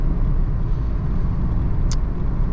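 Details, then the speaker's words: Seat Ibiza after replacing both dead wheel bearings and fitting a sport air filter, driving on the road: steady low road rumble with no growl or hum rising with speed. The wheel bearing noise is gone. "j'ai pas mal roulé avec la voiture plus de bruit de roulement"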